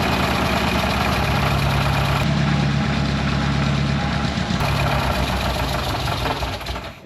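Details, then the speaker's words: 1961 Mk1 MG Midget roadster, first start after 54 years sitting, bad exhaust leak: runs a few seconds at uneven idle, stumbles, then stalls on its own; owner unsure it has any oil pressure. "It ran and just tried to idle, but I don't know that it has any oil pressure."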